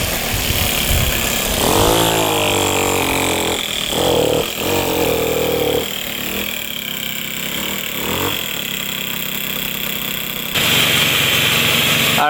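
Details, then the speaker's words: 1978 Puch two-stroke moped ridden uphill: buzzes unevenly, pitch struggling to climb under load, boggy and short of power. The owner suspects a partially clogged exhaust pipe; later the pipe was found packed with carbon. "It's a little boggy. Didn't like going up the hill. So, I think the pipe is partially clogged."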